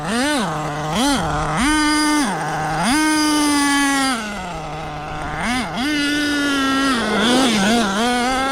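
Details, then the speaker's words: HPI Savage X4.6 nitro RC truck with optional 3-speed transmission at full throttle. Revs climb sharply and hold one pitch each burst, slight torque blip at the bottom, no gear changes; owner thinks it's in 3rd, engine fine: not shifting. "It runs great, but like there's no gears shifting at all. It's stuck in a gear. And you could hear it kind of like have a little torque blip at the bottom."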